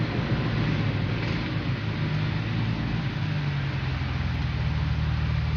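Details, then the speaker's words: Infiniti G35 / Nissan 350Z after the engine ticking/knock fix with Mobil 1 full synthetic 10W30 oil: low, even engine drone with no tapping or ticking, the engine running quiet and smooth; normal idle. "So the ticking noise is gone. So there's no more ticking, guys. So you heard, guys, there is no noise in the engine. Pretty quiet, not like before, like knocking noise too much."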